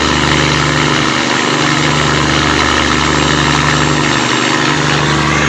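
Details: Cummins KTA19 marine diesel running loud and steady with a rough, clattery edge over the low drone, reported with noisy running and black smoke; abnormal engine noise, cause unclear.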